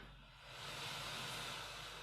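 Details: Bang & Olufsen BeoCenter 5000 with the tone board refitted, pin 13 grounded to select AM, output into a dummy load. Only a steady, even hiss with no station: the AM section works but no antenna is connected.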